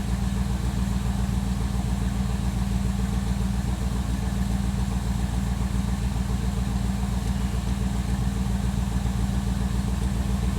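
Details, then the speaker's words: 1957 Chevrolet Bel Air V8 idling at operating temperature: deep idle with a soft, uneven thump about every second, an idle misfire improved but not cured after running Seafoam in the gas tank. "Alright, you can kind of hear the misfire here. Like I said, it's gotten better since I've ran the Seafoam in the gas tank, but it's still kind of there. It does a little thump thump thump thump."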